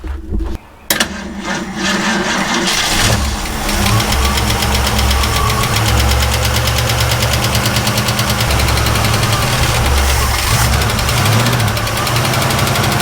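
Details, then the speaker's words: 1967 Ford Mustang cranking with fuel fed, no start; steady churning crank for ten seconds without firing, starter sounds worn; no fuel from the pump, tank found dry despite quarter-tank gauge reading; cause suspected. "Was anything coming out of that fuel pump? No. Okay, this one's not pulling gas then. It may be empty."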